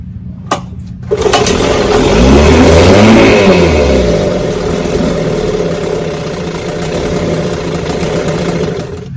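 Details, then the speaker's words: Vintage outboard that runs about 30 seconds then dies, with a soft primer bulb; it fires, revs, then sags into a wavering idle and keeps running only while the bulb is pumped; the carburetor isn't refilling because of a bad fuel pump. "sure enough if I keep pumping the bulb it stays running the minute I quit pumping the bulb it dies this motor got a bad fuel pump"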